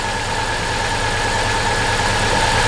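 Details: Vauxhall Corsa VXR idling with uneven stumbling beat; misfire from low compression on cylinder 4 due to piston failure.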